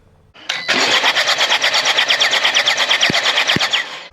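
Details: 2015 Jaguar XE Ingenium diesel bought as a non-runner: fast, steady cranking at about three turns a second with even compression beats and no firing. Injectors are confirmed spraying, so the owner suspects an engine mechanical problem, not yet confirmed.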